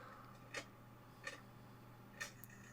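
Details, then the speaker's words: Stereo Step 120 portable top-loading cassette player (c.1980–81), during repair after belt work: sharp uneven clicks over faint hum as the tape turns, then ejected; something in the transport catching, owner unsure if belt or a caught wire. "so you saw that the the tape actually turned so that's an improvement but I quickly ejected it because something was catching"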